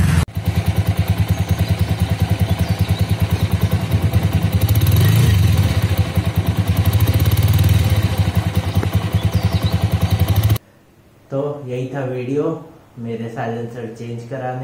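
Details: TVS Apache RTR 200 motorcycle after its defective rattling silencer was replaced with a new one under warranty; single-cylinder thump runs steady and even with gentle revs and no silencer rattle. Normal exhaust note.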